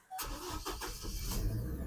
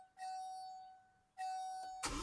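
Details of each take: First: 2006 Chevy Colorado right after the Passlock key-learn procedure for an intermittent crank-no-start: short crank, engine catches cleanly and settles into a steady idle; starts normally, expected to fix the problem. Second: 2006 Chevy Colorado with intermittent crank-no-start, during Passlock relearn with key on: two warning chimes, starter churns unevenly and the engine never catches while the Passlock light flashes; the anti-theft system is blocking the start.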